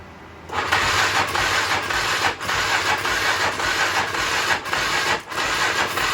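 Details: 1996 Polaris Magnum 425 4x4, long neglected, started on starting fluid with weak jump box: fires and runs ragged with repeated dips in speed.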